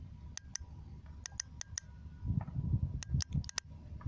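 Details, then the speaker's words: Mercury outboard fuel injector removed and bench-tested with 12 V from a battery: crisp sharp clicks, often in quick pairs, each time power is switched on and off; valve opens and closes cleanly, normal injector. "Then you can see this small like valve. This one will working, like you can hear the sound also."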